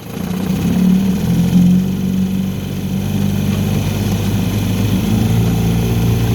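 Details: 1960 Evinrude Fisherman 5.5 hp two-stroke outboard, revived from a broken mess, running on an icy pond while backing away from shore in reverse: even, steady buzz holding speed, no misses, knocks or rattles; normal running.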